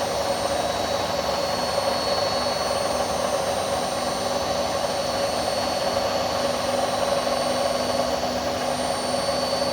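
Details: Indesit My Time washing machine under 3 years old, during spin: constant high whirring roar with faint rough undertone; owner suspects drum bearings starting to go, not confirmed.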